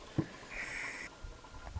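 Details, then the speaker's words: Range Rover 4.4 TDV8 oil change with 10-litre extractor pump: quiet sniffing, sucking slurps and brief airy hiss at the pump inlet as the last oil is drawn from the empty sump. "once we've got all that oil out you'll just start to hear it gurgling and slurping so if you just listen to the Inlet that you're just here it's starting to slurp"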